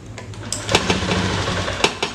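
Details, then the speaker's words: Honda Beat FI scooter: starter whirs, the engine catches with a few weak uneven firings, then dies, stalling on throttle; hard starting traced to a faulty injector. "h mau hidup tapi agak berat ya Tu sebentar-entar langsung mati ya"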